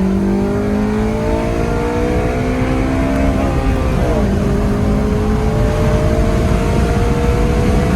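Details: Honda Civic Si (FA5, K20) on a test drive just after water pump replacement: a strong, clean pull with pitch climbing smoothly through VTEC, a brief dip at the gear change, then climbing again; the old pump noise is gone, though the belt may be slightly tight.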